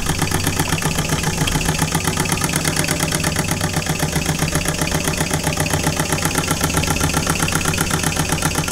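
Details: Small model steam engine, unrun for about 20 years, first run under steam pressure; quick even chuffs, about four a second, over a steady hiss; running smoothly.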